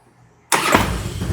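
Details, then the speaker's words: 1999 Harley-Davidson Road King, stock carbureted motor, started after its Champion spark plugs were replaced with NGKs: fires immediately and settles into a steady, lumpy idle with no stumbling; a clean, healthy start, jetting may be adjusted. "Oh man. It's running before you hit the start button."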